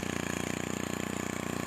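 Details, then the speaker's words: STIHL FC 90 edger after full service and carburetor adjustment of the low and high sides: fast, even two-stroke idle with no stumbling and the vibration gone; engine runs cleanly. "That sounds nice. Look at the vibration's gone."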